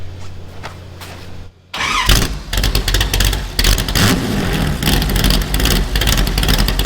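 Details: Superformance GT40 replica with Roush V8, after replacing failing starter/solenoid with upgraded unit: short quiet spell, then starter spins and engine catches, settling into a lumpy, even idle; normal cranking and start.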